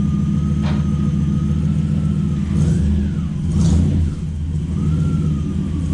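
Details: Toyota 1UZ V8 in a Ford Falcon with newly finished glass-pack exhaust exiting out the side: deep steady rumble swelling cleanly on blips, no rasp or leaks; normal exhaust note.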